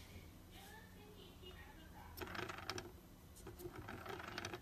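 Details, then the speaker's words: DJI Inspire 2 drone, red props: quiet spin with bursts of light, irregular clicking and tinny chatter over the motor hum. Propeller rattle. "Lots of rattle."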